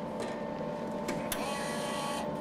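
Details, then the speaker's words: Eastwood MIG 175 welder, machine on with gas off, feeding wire through the torch; steady, even whir from the small drive motor with no catching or slipping: normal wire feed. "all right now we're just going to feed wire now you've got to remember this wire coming out here is live it's hot so don't touch it okay"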